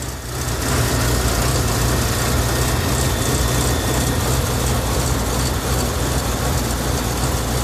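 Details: BMW E38 750i M73TU V12, started from cold at +8°C: deep idle with an uneven, stumbling beat and no steady rhythm. Random misfire in all cylinders shakes it at idle but not when driving, with no power loss; cause unknown.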